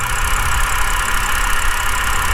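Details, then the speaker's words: Flooded BMW E60 528xi at idle, exhaust smoke gone; constant hissy whir over the idle from the belt drive; owner suspects tensioner, pulley or water pump, unconfirmed, and plans to test with the serpentine belt removed. "I still don't like this kind of noise it's like tensioner or your pulley is very loud maybe it's a water pump maybe it's some water pump"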